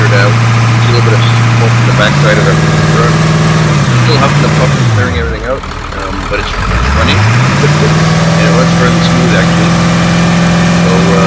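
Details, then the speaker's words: 2002 Ford F350 7.3L diesel, 238K miles, after injector cup/O-ring repair and new injector harness, passenger-side valve cover off: revs up, drops back, settles to steady even idle, no misfire; running normally. "Anyway, success, truck's running. Very happy to hear that noise."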